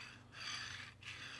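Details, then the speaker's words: New LM8LUU linear bearing, Y-axis upgrade on Wanhao Duplicator i3 V2 3D printer, dry fit on rod: two quick strokes, even soft hiss, no clicks or clunks, all balls rolling; smooth linear bearing. "All the balls are rolling, I don't hear any clunking. It's just real smooth motion, so happy with that one."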